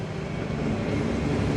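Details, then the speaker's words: Spierings SK1265 AT6 six-axle mobile crane, road test after a repair for a loud bang and power loss: steady diesel drone building under load, boosting fine, no whistle, flutter or knock; normal turbo boost. "She's running pretty good. We're boosting fine. We got no noises."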